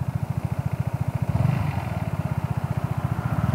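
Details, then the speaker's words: Vespa GTS 300 scooter idling after fitting Dr Pulley Tech Pulley vario rollers, even low thump about thirteen beats a second, smooth, with the previous light rattle from the variator gone: normal idle. "tôi nghe thấy bây giờ là rất tốt, vì vậy tất cả các tiếng lạch cạch đã biến mất."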